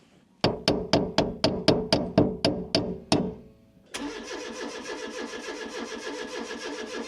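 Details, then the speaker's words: 1996 Fiat Cinquecento Sporting, 26,000 miles, sat abandoned seven years: starter chugs evenly at about three to four compression beats a second but never fires; no fuel pump heard, the pump is gummed up and delivers no fuel, crank-no-start. "Right, we're going to try and get to the fuel pump and give it a hit with a hammer because we don't think we can hear it."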